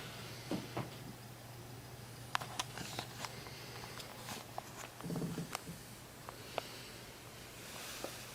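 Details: Sansui AU-217 amplifier: irregular scratchy crackles, pops and static over a low hum when the bass control knob is touched, even with a finger, as if not earthed; caused by a loose bass control pot nut, and pressing the board tight stops it.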